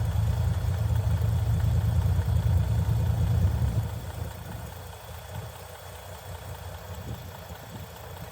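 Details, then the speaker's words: 1965 Chevy C50 grain truck, abandoned for years, six-cylinder, after fuel pump line work: low even rumble easing to a quieter steady run, no knocks or misses; normal running, slight fuel leak suspected. "Oh, you can just hear it run."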